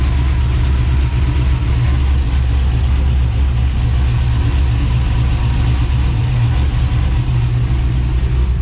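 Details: 1999-07 Chevrolet Silverado LS V8 after valve cover gasket replacement and repaired ground wire; deep, even idle with smooth rumble and no ticks, misses or knocks. Normal idle.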